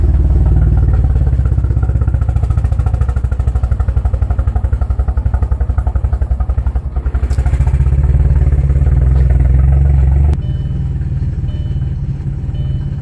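Deep, lumpy idle with uneven, stumbling pulses that dip and recover, then settle lower; rough running from a cold-start misfire.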